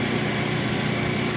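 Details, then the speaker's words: Repainted used clothes dryer, dirty inside, tested working: steady, even hum with soft motor whir and no knocks, squeals or scraping, very quiet; normal running. "Working condition, who knew? Alright. I just did a little paint job there, get the brown off it, good to go, very quiet, too."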